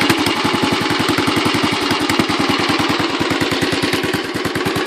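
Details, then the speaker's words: Royal Enfield Bullet 500 Classic single just kickstarted, idling: strong, even, loping single-cylinder thump with no knocks or rattles and tappets audible; the bike shakes, and the owner says a better exhaust would sound better. Normal idle. "now the baby's running. You probably can't see just how much she shakes. And you can hear the sound here, it's pretty nice."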